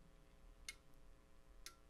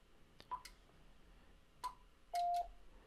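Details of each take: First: Icom IC-7300 internal antenna tuner while tuning across the 40 m band, mic moved closer to the radio: two crisp relay clicks about a second apart over a quiet hum as the tuner switches to memorized settings; normal. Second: Icom IC-7300 internal auto antenna tuner near the top of the band with SWR not quite below 3:1: button clicks, two short high beeps, then one longer lower tone, no relay chatter; the rig keyed briefly and the tune indicator stayed off.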